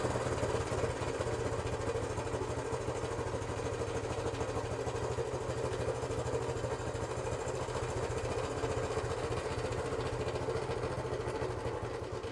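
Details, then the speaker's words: 1972 Honda CT90 K4, first start after carburettor rebuild: small single barely holds idle, with loping, uneven firing pulses about two a second; the idle needs adjusting, cause not confirmed. "Okay. Well, it's got to be adjusted."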